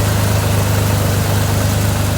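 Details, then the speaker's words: 1983 Chevrolet Monte Carlo G-body off the road about 10 years, just started after a new starter: deep, steady low idle rumble with a regular beat, no knocks or misfires, running somewhat smoothly; owner notes a little blow-by; normal idle. "Well, it fired right up, and I mean, it's running somewhat smoothly, not too bad."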